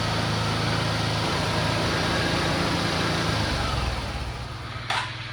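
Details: Suzuki Access scooter that runs only on choke: rough, uneven idle sags and dies within seconds once the choke is lowered; stalling at idle, later traced to the carburetor jet system.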